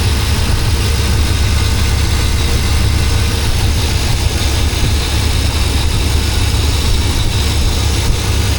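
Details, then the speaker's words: Chevrolet Suburban at idle after collapsed and cracked vacuum lines were replaced: a steady, deep idle with an occasional bog and small speed dips, not a misfire. A vacuum leak is suspected and being checked with carb cleaner; the idle later levels off. "it kind of has like a a bog every now and again. To me, it doesn't sound like a misfire. Sounds like more of a it's got a vacuum leak possibly."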